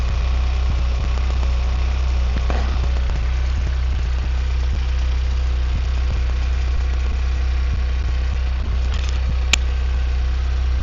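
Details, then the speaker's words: Hyundai Venue 1.0 turbo petrol manual, freshly serviced, at cold-start idle: steady low rumble with light, fairly regular clatter about three ticks a second that gradually fades as the engine warms; cause unknown. "இப்ப அந்த sound வந்து நீங்க கேட்டிருப்பீங்க அப்படின்னு நினைக்கிறேன் engine வந்து gold ஸ்டார்ட்ல ஒரு மாதிரி கிருன்னு ஒரு சவுண்ட் வந்து கேட்டிருக்கும் ஹைட்லிங் ஸ்பீட்ல அதுக்கப்புறம் கொஞ்ச நேரம் கழிச்சு அப்படியே கிராஜுவலா அப்படியே குறைஞ்சிருச்சு"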